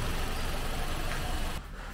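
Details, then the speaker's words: Car engine idling during engine flush with flushing oil circulating: steady low even hum, no ticks, knocks or unusual noises; no change in engine sound from the flush. "kalau Secara mesin ya dia enggak ada perubahan bunyi asing di sana ya"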